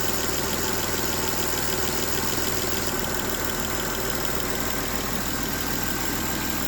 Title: m272 Ticking Noise